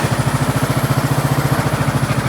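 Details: 2003 Craftsman LT2000 hydrostatic mower, 18.5 hp Briggs & Stratton Intek, revived after water in the intake and seat-sensor fix: even, steady thumping about ten pulses a second, no misses or knocks; running smoothly.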